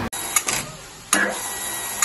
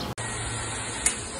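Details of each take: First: Water pump cycles in short rattling bursts, each stop ending in a sharp knock and shudder through the pump and pipework, sometimes brief, sometimes longer: water hammer whenever the pump stops. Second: Water pump after an air chamber was added to cure water hammer that shook the pump and pipes when it stopped: low, even hum, one light click, no shaking or rattle; normal running, vibration gone.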